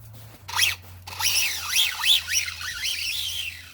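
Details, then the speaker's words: Redcat Volcano 16 mini monster truck after brushless conversion, non-adjustable mesh: high-pitched squeal rising and falling with each throttle burst over faint motor hum; poor pinion-to-spur gear mesh, gears not damaged. "the first thing that's immediately apparent is the gear mesh is still not perfect so it's it absolutely screams like and it's not in a good way it's a very unpleasant almost like high-pitched squeak like squeaking noise"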